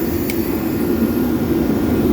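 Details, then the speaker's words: Steady blower rush and hiss with no light-off on a Shenandoah 315 Firelake waste-oil heater; oil pressure reads very high (9), air slightly low, no oil spray, igniter audible; likely clogged block, slide-out likely needs swapping. "So we are pretty sure this slide out just needs to be swapped, and the block is clogged because the oil pressure should not be that high"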